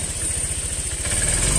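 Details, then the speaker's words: Honda Vario scooter at idle then throttle: steady low putter turning ragged and delayed as throttle opens; hesitation on initial pull. "Nah ini ya dia untuk tarikan awal dia itu sedikit agak berebet teman-teman agak delai nih"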